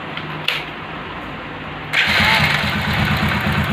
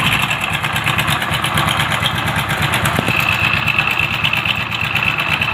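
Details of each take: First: Motorcycle engine after the broken timing chain arm was changed: it starts and settles into an even idle, with no rattle or ticking. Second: Idling motorcycle whose timing chain was replaced with an original one a month earlier: loose, busy metallic rattle over the engine beat. Diagnosed as timing chain noise.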